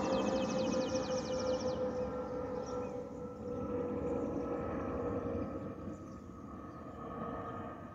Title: Delta Airlines Airbus A320-212 N350NA DL1167 LGA-DTW (FOPP whistling sound)